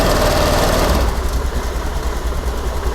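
Scooter engine settles into a steady, even idle after starting, with no knocks or misses, so it is running normally.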